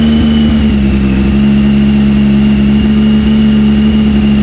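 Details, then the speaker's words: Triumph Speed Triple 1050 S with aftermarket SP Engineering exhausts, baffles fitted, about 3,000 rpm up to about 6,000: deep, steady throaty drone, no misfire, popping or rattle; like stock with more grunt; normal running. "So kept it about 3,000 RPM, revved it up to about 6,000. It sounds similar to the original Triumph exhaust, but with a little bit more grunt to it. So it's got that triple sound, which I love, with a little bit more grunt."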